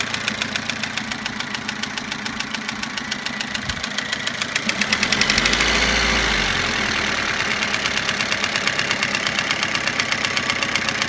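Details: Toyota Avensis after cylinder resleeving, piston ring replacement and timing belt job: a sharp, regular knock of about four per second over the idle, louder as revs briefly rise. Engine knock, source unknown.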